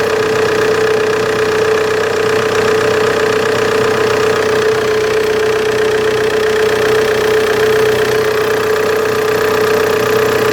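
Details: Opel Insignia idling: constant high whine, pitch unchanging; spraying water on the serpentine belt stops it for a few seconds, so owner suspects a bad serpentine belt.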